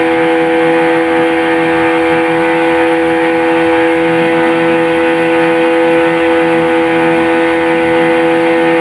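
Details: Yamaha 15 hp outboard on a water run test after repairs for a weak ignition coil (270 ohm) and a flooding carburetor: steady, strong drone at constant high revs with no misfire or stumble; pulling cleanly at full power.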